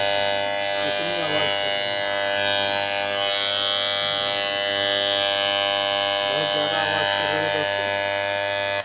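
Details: FYC hair trimmer on AC power before repair: a loud, harsh, steady high-pitched buzz. The armature mount is loose, letting the blade rattle.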